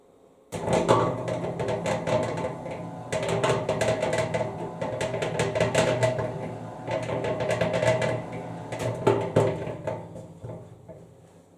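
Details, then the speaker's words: Harbor Freight 3.5 cu ft cement mixer after drum gear low spots were raised to cure a growling noise: low steady hum with light irregular clatter, no heavy growl; not perfect but much improved, grease might help further. "that's just a simple solution on how to fix the growling that was going on with this mixer it's more palatable now"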